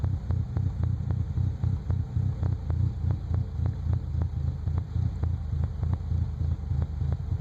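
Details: 1998 Nissan Frontier with a low, uneven throbbing idle and irregular ticks about three to four per second; engine running rough, cause not clear.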